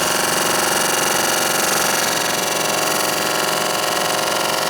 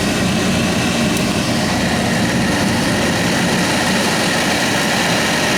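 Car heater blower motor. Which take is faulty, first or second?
first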